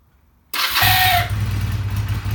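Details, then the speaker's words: Honda CB250 cold start at about 50°F (problem appears around 40°F and colder, fine when warm): a short reedy honk as it catches, then a rough low idle. The owner suspects a cracked starter clutch; unconfirmed. "this little honking noise I can't talk like the starter clutch is cracked or just man I have no idea"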